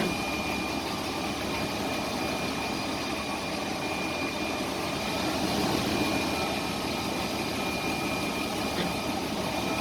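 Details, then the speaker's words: Transfer case after a rebuild with Mopar 247 oil; the earlier noise came from a bad progressive clutch. Only a low, even idle hum under the vehicle, with no whine, clunk or grind. Quiet and healthy. "Sure is quiet. Yep. So after a transfer case rebuild, gonna call this one good."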